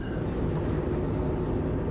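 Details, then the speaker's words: 2007 Jeep Liberty on a road drive after replacing the front drive shaft and both CV shafts, which had crunched and left it in rear-wheel drive: steady road rumble and tyre hum at cruise, no vibration or crunching; driveline now normal. "no vibration, no crunchy sounds. That's a big win, right?"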